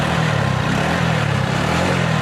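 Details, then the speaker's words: Rebuilt XL100 engine: steady low, even putter with no knocking or rattles and no smoke; engine running normally, sounding like factory. "देखिए कोई भी धुआ नहीं दे रहा और जो इंजन का जो साउंड है वह बिल्कुल साउंड मस्त हो गया"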